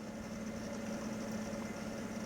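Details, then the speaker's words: Packard Bell Legend Supreme 1820 desktop, Pentium 200 MMX, Windows 98, at power-on; constant low grating drone from a dry fan bearing, either the CPU or power supply fan; fan grinding. "first thing you'll hear is the grinding from the dry fan not sure which van it is it's either the cpu or the power supply fan"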